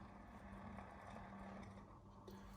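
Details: Nespresso Aeroccino 3 milk frother frothing milk, checked after being used to make hot chocolate. Steady low whir with an even hum and no rattle or strain; motor spinning normally and still frothing well.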